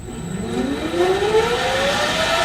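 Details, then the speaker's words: Motor on ATV31 variable frequency drive ramped to maximum speed at no load: clean whine climbs steadily in pitch then holds at 1,776 RPM; smooth, healthy no-load run. "we are going a maximum speed right now. And you can see that we are going 1,776 RPM. That would be the no load speed of this motor."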